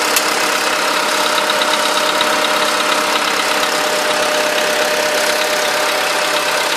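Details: VW Polo sedan with 13,000 on the odometer, ticking that started right after its first scheduled service: a steady idle with a light, quick, slightly uneven tick on top, like valve noise. A top-end tick, cause not pinned down.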